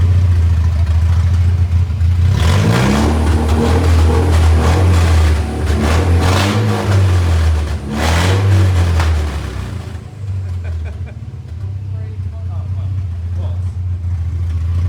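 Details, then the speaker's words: Mercedes 190E with a swapped M111 supercharged engine at first start. The supercharger worked briefly, then the ECU saw no boost pressure and cut it into limp mode. The engine blips and settles, revving freely but flat. "The supercharger was working for a second, and then now it's not. It will not work anymore until we fire it up again. Because it saw that there's no pressure and stuff, so it kills it to Right. Okay. goes into limp mode."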